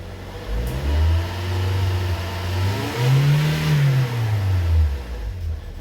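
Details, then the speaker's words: 2013 Toyota Corolla 1.8 16-valve flex-fuel with CNG, automatic, A/C on: engine blipped twice with a rough horrible belt-area drone as revs swing, noise changing on accelerating and releasing. "muito feio tá bom vamos olhar na região das Correias ali barulho horrível barulho horrível vou desligar até medo"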